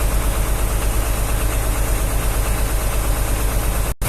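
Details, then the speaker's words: Hino Vector tronton dump truck, just started and idling in neutral: steady low diesel idle with a slightly loping beat about two per second, even throughout; the uneven-sounding idle is described as normal for the Vector. "Suaranya emang kayak gini yuk. Itu udah ciri khas filter. Vector Ya. Suaranya pincang-pincang gini ya, tapi normal."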